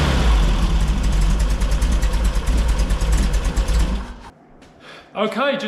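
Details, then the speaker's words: 1964 VW Beetle air-cooled flat-four after setting ignition timing with a test lamp on points and fine-tuning the distributor: even, steady beat with no popping or backfiring; timing sounds right, running smooth. "for a test drive no popping no banging smooth as silk"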